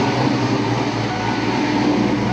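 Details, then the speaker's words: 1988 Saleen Foxbody Mustang with a fresh motor, Trick Flow 170s, a Kenne Bell Flowzilla supercharger and Megasquirt, after the misfire fix with primary temps more equal. Revving up the throttle is nice and smooth, a steady V8 roar with no stutter, pops or hesitation. "right up the throttle here. Nice and smooth."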